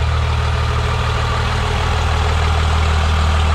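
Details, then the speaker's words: First-gen Cummins diesel truck after transmission service (new filter, fluid, bands adjusted), idling to cool down after hard runs, transmission temperature under 140: deep steady idle, even rumble, heavy breather blow-by, no knocks or misses; normal diesel idle. "She just sounds so mean. It's amazing. She got the breather and the blow-by. That's how you know she's running good when she's got lots of blow-by."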